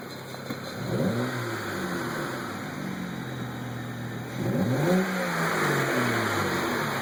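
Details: Light rapid ticking at idle on a BMW N54, keeping pace through two short revs, after a boost solenoid/pressure converter issue; replacing both boost pressure converters made the noise go away.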